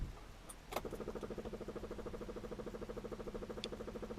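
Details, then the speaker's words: 1993 Ford Transit camper van, newly fitted electric fuel pump, temporarily wired to the battery, with an extra ground added: click, then quiet fast even ticking buzz about three pulses a second; pump running normally, no leaks; fan belt needs tightening. "Well, there's the pump running. Do need to tighten that fan belt up, but well, speaks for itself."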